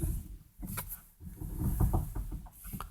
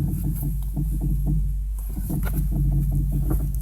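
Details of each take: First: 2010 Renault Megane 2 with electric steering, after replacing worn strut top mount bearings that made a loud binding noise when steering while stationary: only soft tire rumble and light scuffs, no binding or creaking. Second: Renault Megane II 2010 with electric power steering, steered while stationary: rapid uneven clunks and catches. Mechanic diagnosed a worn, binding strut top-mount bearing; replacement planned.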